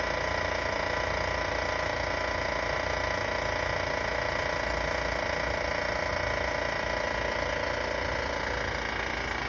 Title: Weird noise from our van..